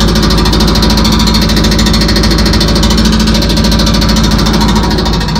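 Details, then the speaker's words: Loud, steady drone with faint constant hum under an idling, heavily loaded truck on an interstate shoulder, check engine light on; owner suspects a transmission noise, source unconfirmed. "And then I also started getting a little transmission noise. I don't know what this fucking noise is."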